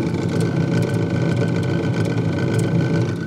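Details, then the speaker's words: Fridge freezer making a loud, fast, steady low chopping rattle like a distant helicopter, heard with the fridge door open; usually caused by ice build-up around the freezer fan, which the fan blade strikes; removing the ice typically fixes it. "some people call it a helicopter noise I've seen this more than once before and usually this happens because ice build up goes around the fan there's a fan in the freezer and then that fan starts to hit the ice"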